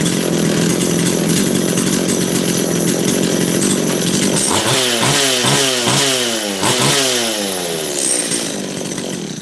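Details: Makita DCS540 chainsaw after half a turn more high jet and low jet set slightly rich of middle: crisp high revs drop cleanly to a steady, even idle; carburettor well set, running normally.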